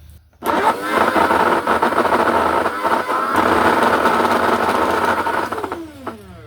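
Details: LG vacuum cleaner running loud and shaking jerkily: coarse roaring whir that falls in pitch as it spins down; fault traced to the fan/suction motor bearing.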